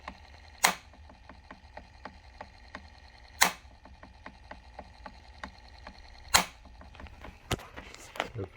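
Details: AO Smith AO-WH-SOFT-350 water softener showing cannot-return-home error, full of water: loud clack about every three seconds over quick light ticking from the valve drive; fixed by replacing drive assembly (part 100238187).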